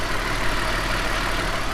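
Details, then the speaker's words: BMW M52tu/M54 six after valve cover gasket replacement, idling; steady even hum, no ticking or stumble. Runs fine, normal idle. "It seems like it runs fine. A little bit of smoke came out, oil smoke, when we first started it from the oil run down the spark plug holes. We're just letting it idle."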